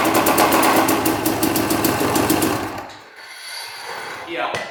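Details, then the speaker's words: 2006 Yamaha YZ250 two-stroke dirt bike that wouldn't run: loud, hard metallic knocking about three blows a second before it cuts out; rod bearing suspected, possibly clutch, not confirmed. "You can hear it knocking like crazy. Huh. That sounds absolutely horrible."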